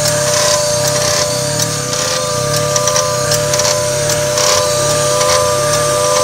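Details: 1995 Mazda MX-3 idling with a click about once per second; each click drags the idle down before it jumps back to about 1,000 rpm, with slight rattling. Rhythmic clicking attributed to the AC system.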